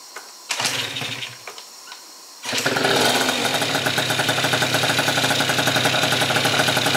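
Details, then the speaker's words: First fire-up of a Yamaha Zuma scooter rebuilt with a Stage 6 MK2 70cc two-stroke kit, HPC crank, Yasuni C16 exhaust; brief false start, then catches into a crisp, buzzy, steady fast idle left to warm up; normal first start. "I'll let it sit on a little bit of a higher idle. Let it get warm."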